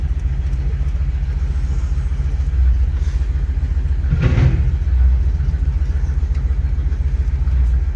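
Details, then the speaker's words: Car on its last drive before teardown: uneven idle with an irregular lope and dropped beats. The owner says the engine has a miss that is very present at idle but unnoticeable under heavy throttle. "I don't know if you can hear that but one of the reasons I'll be doing a lot of work on this thing is the engine's got a miss odd because it's very present at idle even when the joke's on or off but under heavy throttle you don't even notice it"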